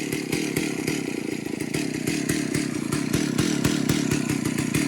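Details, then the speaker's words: Stihl Magnum 038 vintage chainsaw after carburetor clean, bar fitted, idle bumped higher: two-stroke idle with uneven burbling beat growing lumpier until it shuts off; idle too rich, loading up. "yeah guys I can tell it's loading up by the sound see there it shut off guys"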